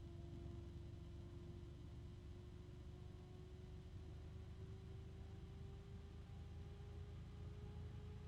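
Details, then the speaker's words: Fan spinning up to high speed: smooth airflow rumble with a clean hum creeping higher in pitch, no rattle, not too noisy; normal healthy fan. "It's got some good speed there. And it's not too noisy."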